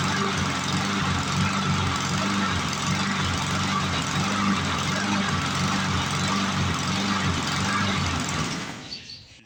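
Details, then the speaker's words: 1997 Lawn Chief 3.75 hp, 20-inch push mower, scrapyard rescue: small engine runs with a steady pulsing rise and fall, hunting; owner suspects a partially plugged carburetor passage, possibly debris in fuel or a detached governor spring. "Be a strong runner, but she's hunting a little bit. Oh boy! So that means we probably got a plugged passage, partially plugged anyway, I should say."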